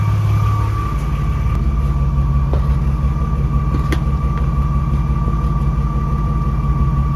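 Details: BMW E36 warmed up, engine running; a steady thin whine holds at one pitch above the low engine drone, present for two years with the car still working, source not yet identified — whining noise.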